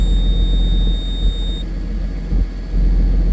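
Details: Case STX375 articulated tractor, running after programming a new transmission control module for a transmission fault: deep steady rumble settling into an even idle, warning beep fading early; runs smoothly with no knock.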